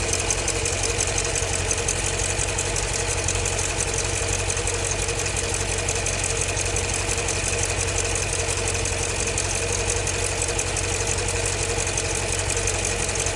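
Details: 2015 Jeep Grand Cherokee SRT 6.4 Hemi at idle: fast, light, regular ticking about three a second over a steady engine note; owner suspects lifter tick, unconfirmed.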